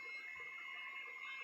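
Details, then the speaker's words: RC Vekta clone crawler, steering servo on a battery reading 5.7 V: a faint, steady high-pitched hum as the servo strains and fails to centre, then steering briefly cuts out; the owner suspects too little battery power and is considering a LiFe pack. "You can hear that servo humming, huh? This battery is reading 5.7 volts. As far as, but it's like crying trying to move that sucker."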